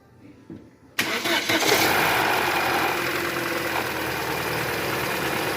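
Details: 2014 Chevrolet Cruze 1.8 Ecotec engine cranks, catches, then idles with a quick steady knocking rattle about three per second; crankshaft bearing knock, engine making a lot of noise, heavy sludge found in the oil pan.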